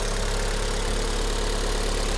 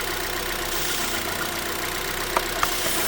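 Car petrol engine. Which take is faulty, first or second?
second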